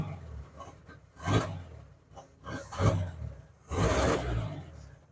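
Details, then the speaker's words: 1963 Ford F-100 step side, cold start with choke after sitting a week: uneven lumpy roar surging and dying back irregularly, smoking; runs rough until warmed up. "You can hear that it's running a little bit rough, but it takes a bit to warm up."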